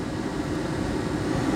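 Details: Chevrolet HHR heater/AC blower after a bad relay was found and fixed: a strong, even rush of air at the high setting, holding steady with no rattle or squeal. The blower is working normally.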